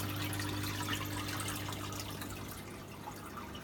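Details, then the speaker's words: Water rushes and splashes steadily over a low pump hum (CJ pump) in an RSM S 500 reef aquarium sump; the inflow is noisy because no filter socks are fitted. "and of course there's a lot of noise now from the the inflow because there aren't any filter socks in there so it does get noisier"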